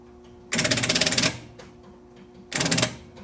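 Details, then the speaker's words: 1964 Pontiac LeMans parked for 12 years, cranked on a 200-amp start booster: two short bursts of sluggish, chugging cranking with a pause between, as the weak battery barely turns the engine over. "well it's cranking slowly hit it again let's see if it's turning"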